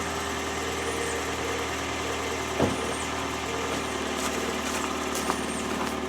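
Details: Vehicle running at normal cold idle in winter: smooth, steady low idle with an even hum, no stumbling or knocking, just the odd faint click; healthy cold running.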